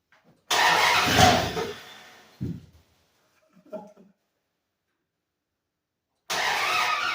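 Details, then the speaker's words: 1948 International rat rod panel truck, first start attempt in 2 years after a new fuel filter and fuel line. Long and short starter cranking but it never catches. Flooded: both injectors were leaking fuel heavily beneath the throttle position sensor. "should have started by now. I might have a loose wire somewhere or something. So, here's what the problem was. It was leaking a lot of gas from underneath the throttle position sensor and basically I found out it was the both injectors were leaking big time."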